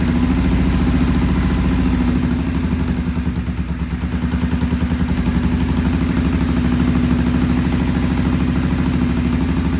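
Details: Vintage British twin motorcycle with Monobloc carburettors, choke off, timing set, idle raised while one carb is adjusted: uneven, loping idle with beats that dip and recover; poor idle, they then stop it to clean the pilot jets.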